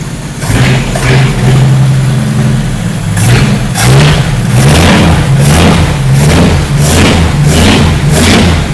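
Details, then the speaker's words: 1954 Willys Jeep truck after valve-train work: crisp, even rev blips over a steady idle with no knocks or misses; runs well, though it smokes, possibly from unseated rings. "best service mechanic you ever seen well she runs like a Rolex but it smokes like a cin that's a bad combo"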